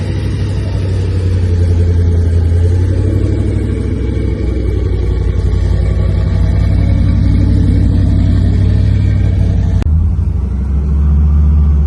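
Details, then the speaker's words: Blown 383 stroker V8 in a custom 3rd Gen Camaro IROC Z28 with twin Holley four-barrel carbs, after replacing the worn cam and failed lifters that kept it from idling; deep, loud, lumpy choppy idle, no ticking or knocking. Healthy idle. "She's idling just fine, guys. Good job, Steve."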